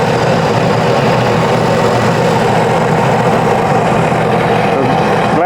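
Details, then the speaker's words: Flooded 2019 Sea-Doo jet ski after hull repair, running on flush hose warming up: steady engine hum under rushing water, water exiting exhaust and jet, no stumble or miss, sounds great; normal idle. "you can see how it's coming out to exhaust that's what you want that means it's going through the exhaust system and coming out the jet propeller engine sounds great"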